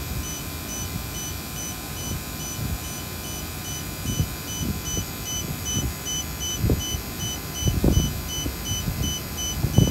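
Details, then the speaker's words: Battery-powered vacuum pump with a check valve: a high, evenly spaced beep over the pump's hum and some knocking, a heartbeat tone that speeds up and gets louder before the battery dies; low-battery warning tone. "so that's the warning that's what it sounds like when the batter is dying"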